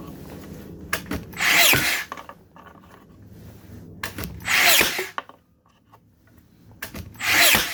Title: Makita DBN600 misfiring